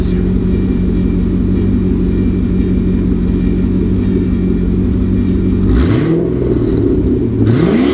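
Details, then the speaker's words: LS2, about 112,000+ miles, fully warm (oil temp 90, oil pressure still 30 psi), heard with the hood open: steady even idle and two clean throttle blips that rise and fall smoothly. No knocks or miss; a healthy engine. "pop the hood again so you can hear every every noise in here is 100% normal"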